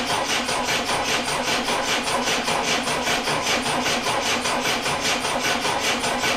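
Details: Triumph Dolomite first start attempt after refitting camshaft cover and setting static ignition timing, battery 12.9 V, starting spray into intake: rhythmic raspy starter churn, steady cranking with no firing; no spark getting through, coil dead.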